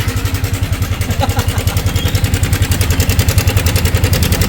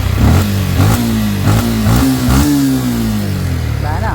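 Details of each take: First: Yamaha Sniper 155 at 11,293 on the odometer with a failed cam chain tensioner, again. Loud, fast, even clacking at idle, about two or three per second, from the slack timing chain, before a manual tensioner is fitted. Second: Yamaha Sniper 155 after a failed cam chain tensioner was replaced with a tightened manual tensioner. Engine blips up and settles smoothly, pitch following the throttle, with no timing-chain rattle or slap.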